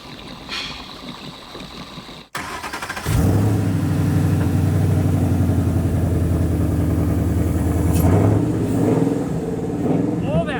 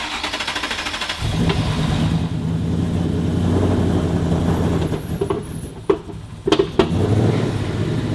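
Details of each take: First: Ford Mustang Boss 302 (Hoss 302), rebuilt from salvage cars, after replacing stale E85 fuel: the V8 catches and settles into a steady, even idle with a deep, smooth burble, the earlier rough startup gone. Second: Rebuilt Mustang Boss 302 V8 revs up unevenly, then sharp pops and bangs break through as it settles, with hesitation even at steady cruising rpm. Popping and hesitation.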